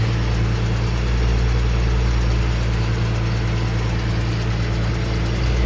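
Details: 2008 Ford Mustang 4.0 V6 at idle: a faint quick tick over a steady idle that remains after a stripped spark plug hole was repaired with a thread kit; the cause is unknown.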